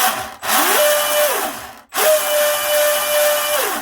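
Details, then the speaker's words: Twin Leopard 2860 2730kV motors with OSE 90A ESCs in RC drag boat: whine climbs, holds steady, winds down, no rattle; normal motor run. "I got 2730 kV motors. They're going to be spinning 30,000 RPM each on 3S."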